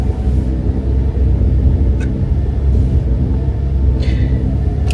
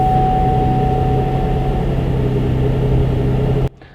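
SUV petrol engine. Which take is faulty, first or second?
first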